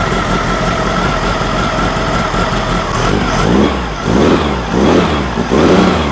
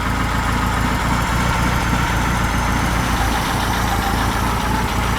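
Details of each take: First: Freshly built VW engine for a Baja Bug on its first fire, baseline 10° advance at idle: with throttle blips the engine surges and falls in uneven waves about once a second. Distributor throwing far too much advance. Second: Freshly built high-performance air-cooled VW flat-four for a Baja Bug, first run at the builder's shop, warmed up at bottom idle, expected to rise slightly as it warms further: low, even, smooth steady thrum. Normal idle.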